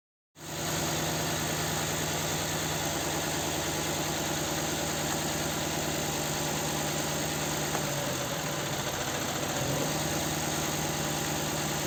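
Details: Nissan Sentra 1.8 idle with cylinder 2 dead: steady lumpy beat with regular stumble, engine shaking and down on power; coils and plugs swapped ruled out, injector getting no injection pulses from the engine computer.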